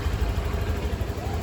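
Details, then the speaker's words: Honda Click 125 scooter idling after cleaning its noisy CVT transmission belt: steady, low, even engine pulse with no belt squeal or chirp; the belt noise is gone and it runs very quietly. Normal idle. "Sobrang tahimik na niya ulit 'di ba? So wala na yung ingay nung belt."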